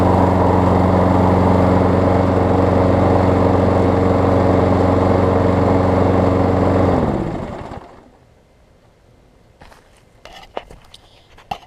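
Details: Craftsman six-horsepower front-drive self-propelled push mower after new pull rope, spark plug, air filter, belt refit and lubed self-propel cable: even beat of about four firings a second, no stumbles, then clean shutdown; runs healthy, self-propel works.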